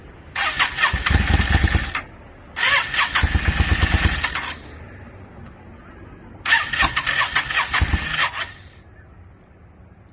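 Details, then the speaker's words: 2002 Yamaha V-Star 650, newly bought, possibly needing a full tune-up, on choke, rusty gas tank; three long cranking bursts of a couple of seconds each, churning but never catching. Hard starting, owner suspects flooding. "I was just real anxious to hear it start, which I did get it running for a second, which you guys will see, but I'm pretty sure I flooded it out."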